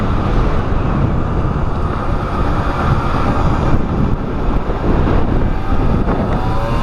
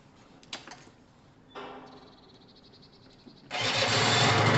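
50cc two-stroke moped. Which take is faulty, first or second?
first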